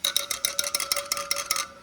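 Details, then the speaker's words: Honda Shadow 750 (chain drive) front spoked wheel, spokes tapped during winterizing service while listening for an off tone: about a dozen quick taps, each a clear bright ring with no dull spoke; all spokes evenly tight and sound good. "Listen. Listening for a different uh tone. They all sound good."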